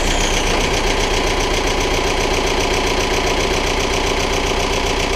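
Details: VW Golf/Jetta Mk4 1.9 TDI diesel idling after oil and filter change with 4.5 liters; steady even diesel clatter about two and a half beats a second, no misses or odd knocks; normal idle.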